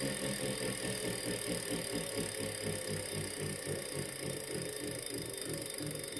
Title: Wahoo kickr core - weird noise 2